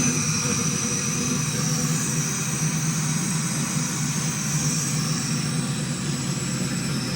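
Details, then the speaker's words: GM 5.3L V8 after installing an NSRx Stage 3 no-springs-required cam, new lifters and 600-lift valve springs, great oil pressure: choppy, loping idle with a steady uneven beat and no tapping or grinding; healthy. "Pretty good. Like I said, this is the NSRx Stage 3. No springs required cam, and the 600 lift valve springs that we put in this thing. Thing has great oil pressure, motor sounds good."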